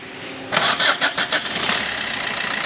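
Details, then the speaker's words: Maruti Swift VDI after repair of a failed second connecting-rod bearing caused by oil pump failure, with a new oil pump and cover fitted: brief cranking, then a fully silent, smooth, even idle with no knocking; normal start. "ಪೂರ silent ಆಗಿದೆ vehicle ಇದು ನೋಡಬಹುದು ನೀವು ಪೂರ complete ಪೂರ ಎಕ್ದಮ್ silent vehicle start ಆಗಿದೆ voice ಕೂಡ ಫುಲ್ಲಿ ಸ್ಮೂತ್ ಆಗಿದೆ"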